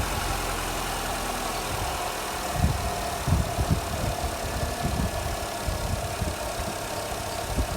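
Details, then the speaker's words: Jeep Renegade with check engine message, started while measuring battery voltage (must not drop below 10 V during cranking); catches and settles into an even low idle with mild bumps, no knocking; healthy start, good battery. "então gente agora eu vou fazer eu vou dar partida no carro lá e vamos ver se a bateria quanto ela tem quanto ela tem de carga que é o CCA dela né"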